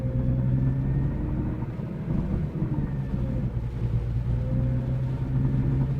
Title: Rattling or deep ticking noise from exhaust